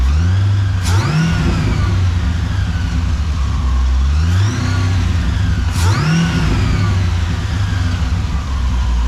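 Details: Supercharged Pontiac GTO on first start with newly installed tuned ECU, stationary; three sharp throttle blips rising cleanly and falling back to steady idle with a gurgle on decel, less rasp than the old straight pipes; normal revving.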